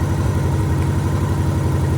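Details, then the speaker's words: 1987 Honda GL1200 at idle after carb rebuild: pulsing throb with occasional soft pops; pulling plug wires shows cylinder 2 not firing, spark weak or sporadic, fault suspected in its wire or coil. "I think that the spark coming from this wire here going to cylinder number 2 is either weak or sporadic, but it's not doing enough to fire the cylinder."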